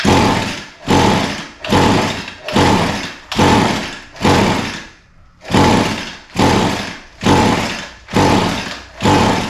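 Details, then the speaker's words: Echo SRM 225 line trimmer with spark confirmed and possibly badly flooded, wide open choke and throttle: repeated whooshing pulls about one a second, with no firing at all. The no-start was later traced to a coil sparking far too late. "yeah still nothing all right so we're going to have to look a little further"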